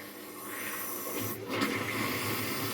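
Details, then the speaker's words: Older washing machine in a Spanish house, running an empty first cycle with the water tap just turned on: a soft steady hiss with a gentle gurgle as water feeds in through the inlet, filling normally. "don't want to go too energetic, but that sounds like water is feeding through. I'm not sure what wash it's on or anything. I'd have to do some research, but I think the washing machine works."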